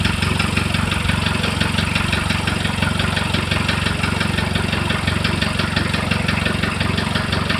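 Steady idle with a sharp regular tapping, roughly three knocks a second, riding over the engine hum; knock of unknown origin.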